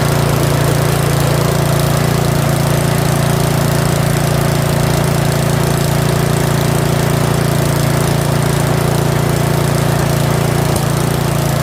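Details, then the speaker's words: Curb-found Yard Machines 21-inch 179cc OHV snowblower, possibly old fuel, running after full throttle and still holding idle a hair above the stop: smooth, even low drone, no misses, surges or knocks; normal steady running. "Surprisingly, it still holds idle. Look at that. It's a hair above the stop."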